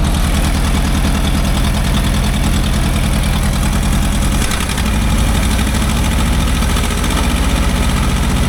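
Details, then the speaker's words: Old Asplundh JEX chipper, probably 1960s or '70s, sold as non-running, first start with choke off and oil pressure showing: deep, steady, even idle with no misses, knocks or rattles; runs smoothly, purring like a kitten. "I mean, this thing purr like a kitten."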